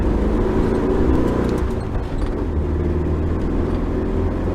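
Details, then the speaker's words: 1973 VW Thing, sat 20+ years, on a road test after front brake work: steady, even engine drone with no knocks or rattles over road noise; engine runs well though brakes still weak. "Sounds good. Runs good. Doesn't stop so good."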